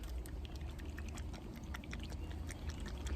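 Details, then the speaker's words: Central AC dual run capacitor during a shake test at a maintenance tune-up: faint liquid slosh and light rattles of loose oil inside; capacitor still tests good but the leaking oil means it should be replaced. "yep if you hear the oils inside your dual capacitor like that even though it's still good you need to recommend replacing and we're going to be replacing this right now"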